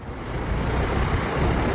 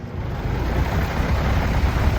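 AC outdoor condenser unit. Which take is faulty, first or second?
second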